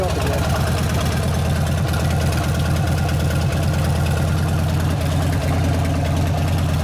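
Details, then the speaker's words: 1999 Harley 80ci Evo chopper warming up: loud, lumpy potato-potato idle holding steady without stumbling; runs better as oil clears the crank into the oil tank, less flywheel drag; oil is brown, due for a change; running good. "It runs a lot better as the oil gets out of that crank and gets up in the oil tank where it belongs. Sounds like it's running good though."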